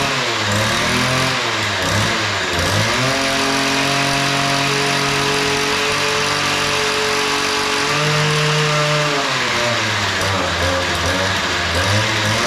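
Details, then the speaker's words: Weedeater 2-stroke yard edger after opening both too-lean carburetor screws: crisp buzz revs up, holds a steady high note, drops cleanly to idle, starts easy; normal running. "All right. So, that sounds pretty good. The uh screws were just way out of adjustment. Uh they were both too lean. I opened them both up and it seems to have fired up and started running pretty good."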